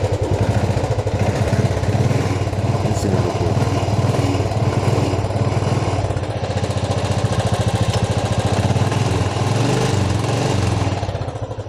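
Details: Royal Enfield Classic 350 idling after rust and mud were cleaned from the petrol tank and fuel filter, which had been causing misfiring. Deep, even single-cylinder thump of about 2.5 beats per second with no skips: running cleanly.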